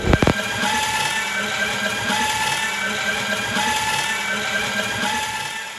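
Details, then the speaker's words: Drain cleaning snake machine clearing a drain. Steady motor hiss with short squealing tones repeating as the cable binds. That sound means the cable has caught the clog, which can then be pulled out. "That sound at the beginning is what you're looking to get. That's when you know that you've caught your clog."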